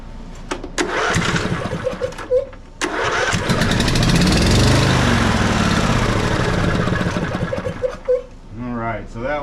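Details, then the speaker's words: Riding mower twin after valve adjustment, with the compression release confirmed good, fixing slow cranking. It runs on one cylinder, the other plug removed, with a quick, even popping beat at steady speed; that cylinder fires cleanly. "let's test and fire this thing up going to run on this cylinder independently here for just a"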